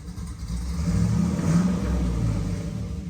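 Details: Dad's Jeep, after reconnecting a dangling spark plug wire: short partial-throttle blip, engine climbs smoothly and settles back without stumbling or dying; partial throttle is clean, though it later falters only at full throttle.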